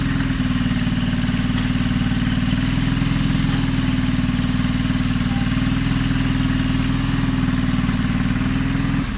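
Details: John Deere 425 during restoration, running on a new battery after the old one died: steady even idle beat, no misses or knocks; runs really good, normal idle.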